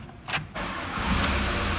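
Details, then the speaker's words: Ford Mondeo Mk5 2.0 diesel at 246,000 miles: brief crank, then a loose, rattly clatter over the idle as the timing chain slaps because its nylon tensioner guides have broken and worn away; the chain is close to breaking and needs a new chain and tensioner. "I'm going to start the engine up and you're probably going to hear it, and I'm probably not going to be able to talk over it because the engine's that flipping rattly and noisy now."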